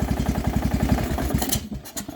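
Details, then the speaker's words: Craftsman small engine with muffler fitted, intended for a Murray build: starts with quick low pulses, then a light low-end rattle that fades; owner unsure, says it does not sound like a knock. "is a bit of a low end rattle but it doesn't necessarily sound like a knock so"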